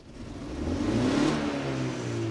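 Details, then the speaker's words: BMW E46 Compact with 2.0 L N42 engine. Slow revving is fine, but a quick throttle tap makes it stutter and refuse to rev, as if running on three cylinders; a failing ignition coil is to blame: misfire. "I don't know if you can hear but it feels like it's running or accelerating on three cylinders only so if I rev up slowly everything seems to be working fine but if I give it the gas very fast if I just tap on the gas"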